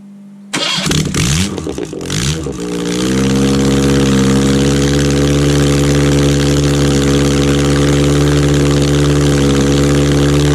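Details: Freshened 1991 Ford Pinto 2.0 OHC 202 block, ex-Transit engine with 205 rods and high-compression thin-top-ring pistons, first test fire: brief cranking, then it catches and settles into a steady, smooth, even idle with no knocks.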